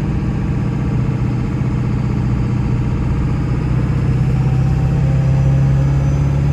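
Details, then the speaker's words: 1999 Ford F-350 4x4 dually with the 7.3 Powerstroke diesel, 6-speed manual and 58k miles, pulling away from a hill on a test drive. Pitch rises smoothly through the shifts with no grinding or clash; normal gear shifting. "You can hear how smooth the 6-speed shifts. It doesn't grind or hesitate going into gear."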